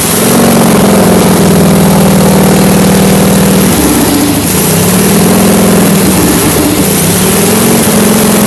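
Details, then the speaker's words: Case 446 garden tractor with 60-inch deck, electric fuel pump under footrest, running: loud, steady low drone with an even beat that dips and recovers slightly; healthy, just noisy. "That's what she sounds like. Yeah, that is really loud. That's not too bad. Could be worse."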